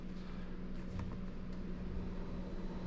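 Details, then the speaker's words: GMC Sierra/Chevy Silverado newly installed electric radiator fans commanded on by scan tool with engine off, fan one then fan two: faint steady low hum with even airy rush, no buzz, scrape or wobble; fans run smoothly. "okay we've got one fan on I don't know if you guys can hear it one and then we should get another one here fan two oh you can definitely hear it now perfect"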